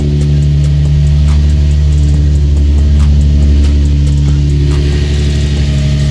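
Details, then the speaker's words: Infiniti G35/Nissan 350Z first startup after Exedy single-mass lightweight flywheel, stage one clutch, pilot and throwout bearing install with transmission oil refilled: steady low even idle, no knocks or rattles; normal. "Alright, so transmission oil is in. This will be the first startup. Just hope she start. Starts up good, that's good."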